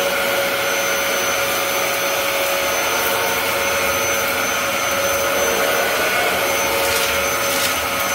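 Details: Dyson DC07 upright vacuum with brand-new clutch assembly, cleaning carpet: steady high motor whine, even airflow rush, no surging, rattles or grinding; running normally.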